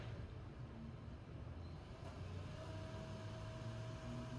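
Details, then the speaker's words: PC Blu-ray drive (dented top, owner tried fixing it) gives a steady low buzz with a faint higher tone creeping in midway; still quite loud after the repair attempt, only slightly quieter. Optical drive buzzing. "You can hear that buzzing, right? That's from the Blu-ray drive."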